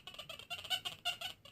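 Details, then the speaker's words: XP Deus V4 metal detector, Hot Program, full tones, indoors with EMI: an Indian head penny passed a little far from the coil gives faint, chirpy high squeaks over a quiet hiss, a weak but normal target response. "hear the little squeak and you can just about see something in the center of the screen now but that would be quite easy to miss when you're out in the field"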